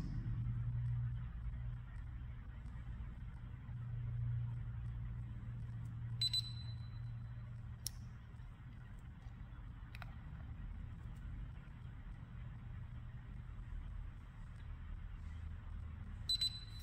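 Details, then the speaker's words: DSC home security keypad emits a short, piercing high trouble beep every five to ten seconds over low room hum, indicating check the system. "so as you can hear the beeps will happen every probably about five to ten seconds and it's very annoying and it's very piercing it's usually an indicator to check the system"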